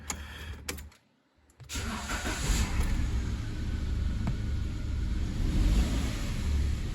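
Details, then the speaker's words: 2011 Kia Picanto with hard first start, intermittent metallic rattle from the catalytic converter and stiff electric steering: engine stumbles, fails to hold revs, then settles into an uneven, lumpy idle, still misfiring; cause suspected, not confirmed. "Ó, vou ligar aqui o carro, pessoal, observa o barulho que vai fazer. O carro não consegue manter o giro. Foi. Ó, ele não mantém."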